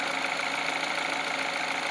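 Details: Peugeot 308, cold engine at idle, after greasing the water pump belt tensioner pulley with Litol that caused a cold crackle: steady, even idle, smooth hum, no ticking or rattle; normal cold idle.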